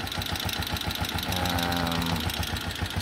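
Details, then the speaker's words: TMX 125 Alpha single-cylinder motorcycle idling: light, steady tick over the engine beat, an engine ticking noise the owner wants fixed. "Kita niyo guys? Umaandar siya. May lagit siya."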